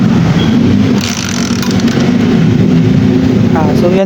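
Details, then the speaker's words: Motorcycle with primary-type stator, before conversion to a 4-pin Lihua CDI, runs rough and uneven about four seconds then cuts out; very hard starting, starts then stalls, owner suspects lost ignition current. "Napansin niyo naman na sobrang hirap talaga niya i-start So magi-start naman siya pero namamatay rin agad siya dahil nawawala yung kuryente"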